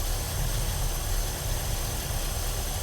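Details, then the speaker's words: 1965 Ford Galaxie hardtop V8 with headers and a newly installed transmission, at cold idle with no exhaust leaks: rough, lumpy idle with a thin steady high squeak or whistle; source not found. "squeaky sound. I don't know where that's coming from. Done everything to try and find it, but let's let it get warm."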